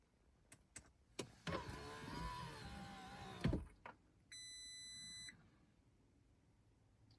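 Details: Audi A6 C7.5 with multiple error codes and a no-start condition: an electric whir, then a single steady chime of about one second, with no cranking or engine catch following.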